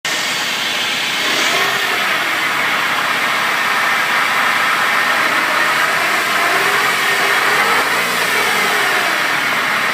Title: Zafira Whining Noise